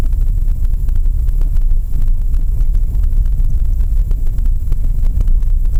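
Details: Lada Vesta SW 2019, 1.6 engine, manual, about 8,000 km, driving a rough dirt road: scattered dull clunks through heavy rumble; owner suspects front suspension knock over bumps, unconfirmed; inspection on the dealer lift later found the right front shock misting oil.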